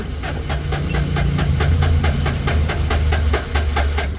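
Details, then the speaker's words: Suzuki three-cylinder turbo diesel, warm after long cranking: even, rapid cranking pulses, about four a second, and it never fires; crank-no-start, with blow-by escaping heavily. "Ito na yung pinagbabawal na technique kahit matagal ng umandar katulad nito dapat mainit na po niyan dapat aandar na po niyan ayaw pa rin"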